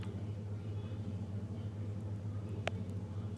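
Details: 1991 Chevy 350 5.7 V8 with throttle body injection, warm and in neutral: deep, uneven, stumbling rough idle, almost stalling, which only happens once it warms up; cause unknown to the owner.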